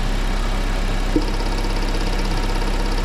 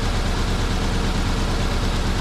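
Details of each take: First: Engine during ignition coil, plug lead and spark plug checks for a misfire. Steady, even idle with only a couple of faint clicks from handling the leads and no stumble or misfire; normal idle. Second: Car engine with a misfire, one cylinder not firing and combustion incomplete, running rough; ignition coil, plug cables and spark plugs to be checked and replaced: low idle with steady uneven lope, beat stumbling regularly as one cylinder drops out.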